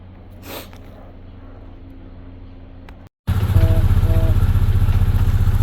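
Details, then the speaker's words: Carbureted BMW motorcycle that nearly burnt down, after repair with brand new fuel lines: quiet at first, then fires and settles into a steady, even low thump at idle with no misses; no fuel leaks, repair successful. "Alright guys, so we got it back running now. No fuel leaks. Looked like it was a successful repair."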